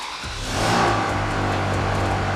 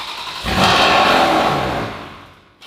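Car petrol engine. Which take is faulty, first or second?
second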